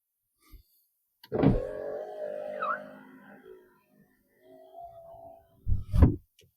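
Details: Mini Cooper R50 passenger power window after freeing stuck carbon brushes in the window motor: motor whirs evenly through its travel, runs again briefly and stops with a clean thunk; window working normally after repair.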